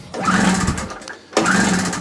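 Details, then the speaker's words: Small two-stroke generator that cranked without starting, given a spray into the intake: two short rough bursts of firing, each dying within a second; runs only on the spray, so the carburettor isn't supplying fuel. "And that's it. So it definitely is a carburetor he's doing."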